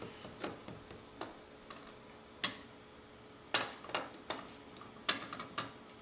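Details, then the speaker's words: AEG V3 airsoft gearbox shimmed blind by sound and feel, tightened with two screws; sparse uneven ticks about one a second as gears turn, teeth hitting lightly, mesh a touch too tight. "all right go ahead and tighten it down with the two screws and i think what will happen this will be perfect or just a tad bit too tight"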